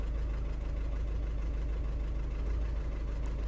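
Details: 2009 Audi A3 1.6 TDI, remapped, after a dealer software recall, in limp mode with the DPF light on and codes P2463 and P0202: rough diesel idle with an irregular low knock about three beats a second. Injector misfire suspected; injector 4 gives no live-data reading.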